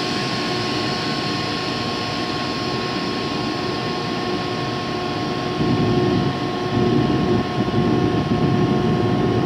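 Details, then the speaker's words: Used 2005 Boge 40 HP variable-speed-drive compressor, 480 V, 79,131 run hours and 1,909 loaded hours, at max rpm trying to build pressure (holds around 105): steady motor whine with an even airy rush that swells a little as it loads up; normal run-up. "right here it is at max rpm obviously it's trying to get up the pressure"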